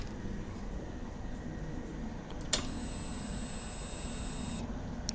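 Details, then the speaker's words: A Ysuku that showed ER1 with a dead fuel pump; after the pump is replaced and its plug retightened, key-on gives a click and a steady high whir for about two seconds that cuts off cleanly. Normal priming. "Kita dah pun tukar fuel pump dia. Dan pump tu pun berfungsi mengeluarkan petrol."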